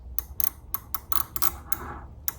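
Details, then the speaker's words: GearWrench X-Beam ratcheting wrench, about 15 years old, shown as the back-drag reference before testing SUZUME flex-head wrenches; crisp, light, even ticks in quick bursts as it is swung back; normal ratchet click. "You can see, you can hear it click and see it move."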